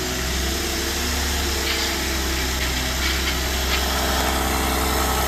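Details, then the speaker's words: 2012 GMC Acadia SLT 3.6 LLT, first start after final assembly with fuel pump fuse in: steady, uneven cranking drone for several seconds without catching, air still in the fuel lines while injectors fill; it started shortly after, setting one engine light. "Oh! It's got a lot of air in the line yet. Yeah. Oh, it's wanting to. Well, it's just got to get all the injectors filled up. So close!"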